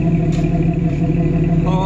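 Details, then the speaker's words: 1992 Jeep Wrangler 4.0L after replacing a cracked exhaust manifold: steady deep engine note, then a smooth climb as it revs, no exhaust puffing or ticking; sounds healthy, though owner hears a bit of engine issues. "i mean that sounds great don't get me wrong"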